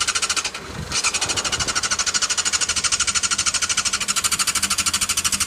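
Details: Yamaha YZF600R that won't start. A fast, even clatter at about three beats a second with no catch or rise in speed; the engine turns over but never fires.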